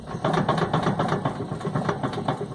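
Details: Car with engine off, steering wheel rocked back and forth: quick repeated clunks about five per second from a worn inner tie rod (axial rod), to be replaced with alignment.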